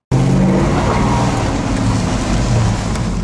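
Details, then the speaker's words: 2001 Chevy Suburban V8 on first shakedown drive after cylinder head rebuild: revving with deep rumble and faint rapid puffing from a small exhaust leak; idles rough from a damaged EGR tube leaking air into the intake. "bit of an exhaust leak I can hear it it's a shakedown run"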